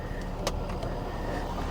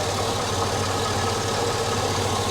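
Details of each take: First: Chevy SSR bought as having internal engine noise, after fresh power steering fluid: smooth idle with a steady thin whine from the power steering pump, worse with a little throttle; fluid low at the add mark when running, air in the system suspected. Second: Chevrolet SSR V8 bought at auction listed with internal engine noise (owner suspects a misdiagnosis), after a rack and pinion replacement: smooth, steady idle with an even low rumble and no knocks, misses or ticks. Normal idle.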